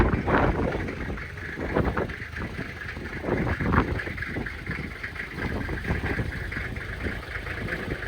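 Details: 1997 Toyota Land Cruiser HZJ75 diesel, true cold start around 20-25 degrees, windy, after glow plugs, recorded on phone: even clatter at steady cold idle with outdoor noise, no misses or knocks; little smoke, blow-by looks good; normal diesel cold idle.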